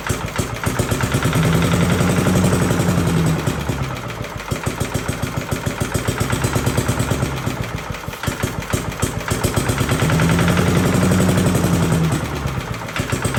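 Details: 1982 Billy Goat vacuum single-cylinder engine after an ignition swap: it barks fast and steady, speed swelling and easing a little. Firing cleanly, a very solid running engine.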